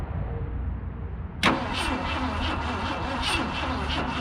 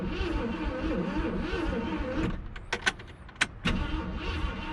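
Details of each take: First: 1966 Ford Galaxie, 352 V8 four-barrel, automatic, first start in 26 years after replacing and gapping points: starter whirs, catches with a sharp burst, settles to a steady slightly lumpy idle; still smoking. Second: 1966 Ford Galaxie, 352 V8 four-barrel, first start attempt after 26 years, gas down carburetor: starter cranks steadily in stretches but never fires; ignition problem suspected.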